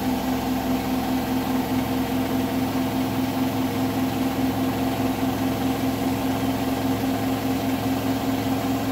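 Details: Hotpoint washing machine on the bed + bath program, final spin at 1400rpm: steady hum with a faint regular knock about twice a second, a weird knocking noise at full spin.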